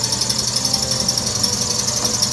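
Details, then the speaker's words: Wayne 60 gas pump that sat over 40 years, electric motor belt-driven, first run after oiling: fast steady mechanical clatter with regular beats over motor hum as the stiff pump unit runs rough; owner expects it to ease once run in. "it's probably gonna sound awful because they're still asleep in the pump unit as you can hear maybe once it runs a widow it'll go away"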